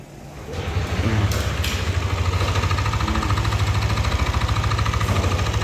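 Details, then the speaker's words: Yamaha All New Aerox 155 VVA scooter at about 31,000 km, routine servicing and oil changes, often ridden on climbs: choppy uneven idle with coarse rattly engine noise. "Nah ada muncul suara kasar seperti ini untuk riwayat dan histori perawatan berkala ini rutin overgantian oli juga rutin"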